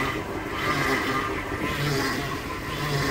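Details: Vintage RV with Chevy Hydroboost after fabricating a replacement power steering hard line that had a pinhole leak: engine running, rough whirring groan and faint scraping swelling as the wheel turns; suspected aerated fluid, system may need bleeding.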